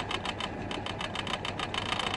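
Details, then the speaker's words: Citroen 2CV at idle: quick bright tinny chatter about eight taps a second, metal against metal, changing with clutch or brake pedal; found the rubber grommet had come out. "I think that there's metal just against metal it's just a no you're right but sounds fur the down oh okay it's this is it the rubber graber's come out"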